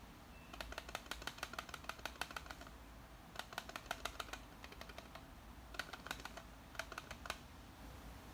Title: MB-D18 rattling noise issue